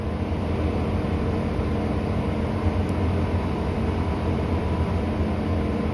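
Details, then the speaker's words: 2019 Ford F350 6.7 Powerstroke diesel, just after fuel filter changes and revving to purge air; deep, steady roar with a loud rushing cooling fan on top, reason for the fan running unknown; the engine runs evenly with no knocks or misses. "I don't know why my fan is on, but it is. It'll be loud and annoying."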